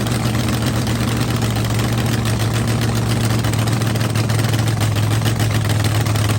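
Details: Rebuilt blown V8 drag car after winter refresh, on the trans brake, RPM switch set at 6,000 for the shift solenoid: deep, even rumble holding steady, no knocks, misses or hiss; frost on the scoop, no milky oil; idles cleanly.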